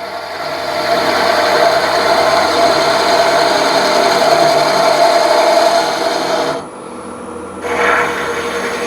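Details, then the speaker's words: Woodturning lathe at 650 rpm with a sharp skew chisel on a thick blank: smooth, steady shearing hiss with no chatter or catches; clean cut leaving a very nice surface despite the slower speed. "one more and the surface again although we are going slower the surface is really really nice"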